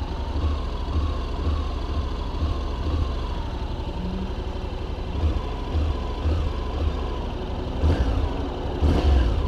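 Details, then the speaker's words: 2021 Honda NC750X DCT (6-speed dual-clutch automatic) after recall ECU fuel-injection software update: steady low beat with crisp clean throttle blips picking up smoothly; the earlier hesitation on initial throttle opening is gone. Normal throttle response. "well the throttle definitely seems smoother now there doesn't seem to be that little hesitation you know right when you open the throttle"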